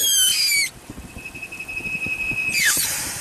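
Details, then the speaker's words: 1998 Chevy Silverado 2500 5.7L with a misfire and high idle: the IAC is ruled out, and the open PCV port gives a steady high thin whistle from massive crankcase vacuum over a soft idle pulse; a PCV valve problem is suspected, not confirmed. "well it's not the iac check this out i plucked the pcb hole there's massive vacuum in that engine"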